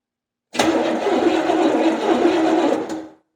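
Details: 1970 Buick Skylark with a Buick 350, makeshift spark plug wires fitted and some plugs found loose afterward: steady starter cranking about three turns a second for under three seconds with no firing; cranks but won't start.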